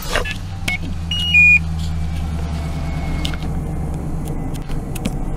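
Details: Truck engine started right after oil change with Mobil 1, about 45 psi oil pressure, raining: steady even low hum after a brief chime, no knocks or ticks; idling smoothly and healthy, no leaks.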